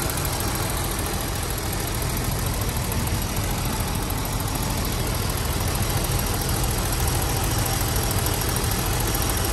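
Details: 1988 BMW 735i, M30B35 petrol straight-six, idling: light, fast ticking in the top end from a noisy lifter.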